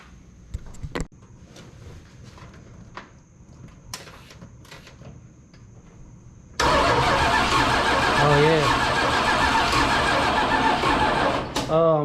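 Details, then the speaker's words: 1979 Dodge D-100 Custom 318 V8, sat about 10+ years, cranked with the fuel line disconnected and a weak spark: about five seconds of steady starter churning with no firing; it cranks but won't start, and the owner doubts it will fire on that spark. "let's see what she's gonna do i don't think it's gonna fire at that weakest spark but who knows man"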